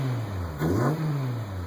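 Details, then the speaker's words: 2002 Acura RSX Type-S with K24A2 Accord engine swap (chassis about 167k, engine about 55k miles), Injen cold air intake, accelerating hard: pitch climbs smoothly, deep even exhaust note, not raspy, no rattle or drone; healthy. "It's actually pretty quiet, but then when you get on it, it sounds really good."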